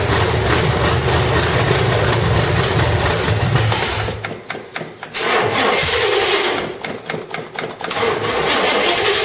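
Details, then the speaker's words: 1985 stepside truck, cammed V8 (said to be a 400 hp Corvette motor) with roller rockers and headers. It runs, then stumbles and nearly dies twice before catching; the old carburetor is gummed up, so fuel was slow to flow; hard starting. "that's it so yeah that old carburetor is uh you know pretty gummed up and stuff so you know it took a little bit to get the gas flowing through there"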